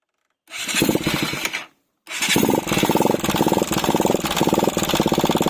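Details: Pulsar 200 NS BS III, 4-valve engine, engine catches, dies, restarts and settles into a fast light ticking in time with firing; noisy tappets or valve clearance suspected (spec intake 0.04–0.06 mm, exhaust 0.07–0.09 mm), not confirmed.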